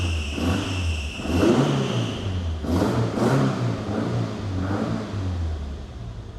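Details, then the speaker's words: 7A-GE-swapped Toyota Echo four-cylinder after Haltech ECU adjustments: a steady, fairly even idle with a slight lazy waver, no knocks or misses, good oil pressure, quiet. Normal idle. "There we have it. Adjusted a few settings in the Haltech and now it's idling pretty good."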